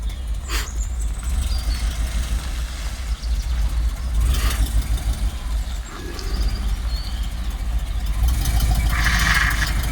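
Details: 1986 Rolls-Royce Silver Spirit II, parked since 2022, just started cold with some bad fuel: lumpy idle with irregular stumble, one cylinder not firing; misfires badly, plan is new spark plugs and checking distributor cap and points.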